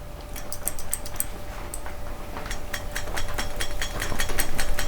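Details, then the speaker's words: Marvel Schebler carburetor from a 1961 Oliver 550 tractor, cleaned and reassembled, shaken upside down by hand; light uneven clicks of the float rattling loosely in its bowl; float moving freely, not hung. "but you hear when I'm shaking it around you can hear that float bouncing up and down inside of the ball so you know that the float's not hung on the side of the bowl"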